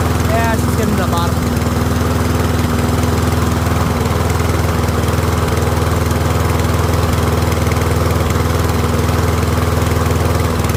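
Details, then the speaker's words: Troy-Bilt rear-wheel-drive mower with Briggs & Stratton Professional engine, after ultrasonic carb clean, nearly out of fuel after about 5 minutes running: steady, even single-cylinder beat at working speed, no surging or misses; runs clean, expected to chug and die out. "So yeah, letting it run there for it looks like about 5 minutes. It's going to run out of fuel in the next couple minutes, so it's going to chug chug chug and then basically die out."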